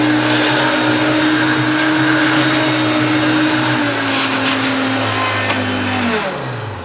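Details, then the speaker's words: Hoover Turbopower hard-bag upright vacuum (1980s–90s) with sprung boost switch, started in normal then held in boost: steady high motor whine with strong hum, pitch sags when switch released; boost running normally. "But this one has the boost that flicks back off, so I'll start it in normal and flick it up to boost."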